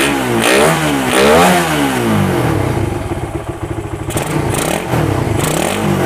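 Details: Suzuki Satria FU with a PWL/PE28 28 mm carburettor, cleaned and re-jetted (main and pilot jets) to cure hesitation when throttled, air screw now set; buzz climbs cleanly through several quick blips and drops back to idle without stumbling; normal revving.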